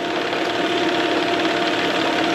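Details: 1999 Mercury 9.9–15 hp outboard after carb rebuild (gasket sealant removed), new spark plugs and water pump impeller, idling steadily and evenly right after first-pull start; running cleanly, pumping water strongly.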